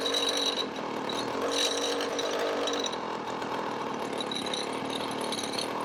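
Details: 20-year-old 50cc two-stroke mini moto engine with temporary exhaust held by elastic bands and cable tie: raspy buzz rising and falling with hand throttle blips, running continuously; normal running.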